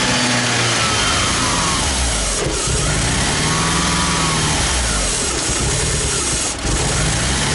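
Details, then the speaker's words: Mitsubishi Galant turbo with spare RC 550 injectors just installed: fires but won't stay running, lumpy uneven idle hunting and sagging, caused by a massive vacuum leak. "well we've got fire but it won't stay running and why does my Galant sound like a Subaru something made right from inside the car I didn't immediately hear the massive vacuum leak so it took me a little while to figure this out"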